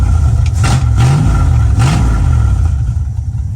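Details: 1974 Dodge Challenger, straight pipes with a hole in the exhaust, running after rewiring. Oil pressure dropping slightly (needs an oil change), about 12 volts. Deep, loud open-pipe burble with two quick throttle blips rising and falling cleanly, firing evenly: healthy V8.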